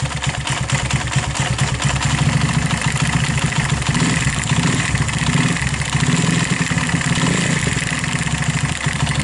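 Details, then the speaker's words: Viar 150 cc motorcycle started after about five months unused: a rough loose clattering knock in the engine that grows louder with throttle. The owner feels something inside is loose or broken. "Eh begitu dihidupkan tiba-tiba bunyinya seperti itu ketika kita naik gas khotob seolah-olah ada yang lepas atau ada kelakar yang pecah bagian di dalam"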